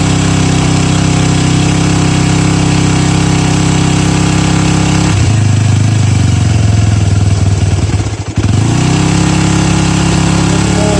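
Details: Yamaha WR250F carbureted single, first cold start after seven years of storage, no air filter, neutral, clutch in: starter cranks with uneven pulses for a few seconds, then fires and settles to steady low idle; starts fine.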